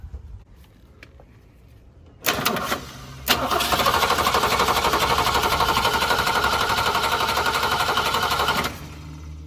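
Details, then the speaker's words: 1966 Ford Mustang, 200 straight six, stalled on the driveway; spark and fuel to carburetor confirmed: starter spins about four turns a second for six seconds without firing; owner suspects the old Holley carburetor. "Doesn't want to start yet. Well, now what? We know we got gas coming here through the filter into the carburetor. We know we got spark. I'm inclined to think that this carburetor, this old Holly, is not working correctly."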